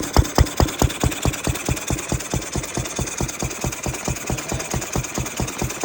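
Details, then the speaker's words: Ruston 6PS petrol stationary engine running after belt start, magneto remounted further into the drive coupling that had popped out; slow, even firing around 136 beats a minute, crisp and regular, pressure valve venting, running healthy. "I have the Ruston now running on the good one belt start. There she is."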